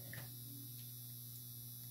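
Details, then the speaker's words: Quiet, constant low electrical hum of unchanging pitch and level from a room light fitting that always buzzes; the cause is unknown. "if you guys hear that buzzing sound then it's my light she listened I don't know why but it always does that it's like buzzing hear it I hate it it's annoying"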